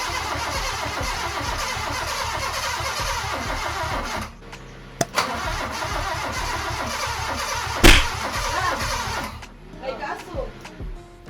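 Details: Honda Civic EK hatch after engine rebuild, fourth start attempt after distributor timing advanced slightly and ground reconnected: starter churns steadily for several seconds, stops, cranks again at same even beat without ever catching.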